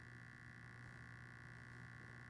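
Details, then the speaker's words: Hornby Tornado Express model locomotive, not run in, set bought used and repaired after shipping damage, at about a third throttle: steady low buzzing growl with a thin high hum; motor growling, cause unclear. "let's start forward oh sounds like it's growling why is it all right i am that's about a third of the throttle"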